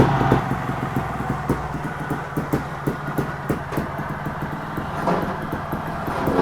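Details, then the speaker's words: TRS 300 RR two-stroke on the bench: irregular metallic rattling clicks that rise with revs. First thought to be the flywheel, it is the sump bolt fallen loose again and vibrating. "it sounds like the bolt for sump has fell out again and that's what that noise is it's vibrating and there's me thinking it's coming from inside fly wheel"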